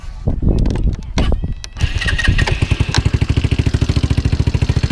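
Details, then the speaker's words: GY6 150cc Yamati Strada scooter with a Rolling Wrench/Taida 171cc big bore kit (61mm forged piston) and 28mm slide carb: a few cranking clatters, then it starts first try without choke and settles into an even, quick idle beat, healthy. "I said, it starts right up the first time. No, the choke is not on."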